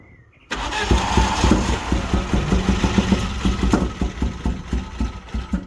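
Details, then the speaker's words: Vauxhall Nova GTE with newly fitted C20LET 2.0 16V turbo engine, first start: runs lumpy and uneven with irregular stumbling pulses; plug leads in the wrong places, firing order wrong, fixed by swapping them. "the first one you can hear the the firing orders out cuzz the leads were in the wrong place so SW them around put them in the right place"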